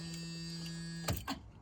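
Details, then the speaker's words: Old van with key in, in neutral: steady low electric dash buzz that cuts off abruptly with a couple of clicks. Normal key warning buzzer. "I don't know why, but I have to put into neutral. Does the annoying little buzz thing."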